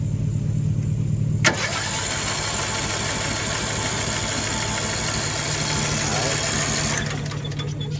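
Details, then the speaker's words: Cheap broken riding mower with spark, fuel and a shot of starting fluid: steady, even cranking churns for about five seconds and never catches. A valve seat problem is later found, losing compression. "And we found the issue. A little loss on compression there."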